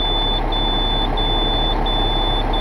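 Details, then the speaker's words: Diesel truck just back from the shop at steady idle, no more slapping from the valvetrain; the shop had left one rocker arm loose, now fixed; backup beeper chirping in background; normal idle. "normal down there not making noises anymore"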